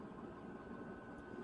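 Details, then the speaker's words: Newly installed Chinese diesel heater (Silvo) turned down low, blowing hot air like a dryer vent: quiet, steady whir with faint constant high hum, no rattles or surging; fan running normally. "so the heat that's coming out of here is about as hot as what would come out of a uh the bent behind the dryer"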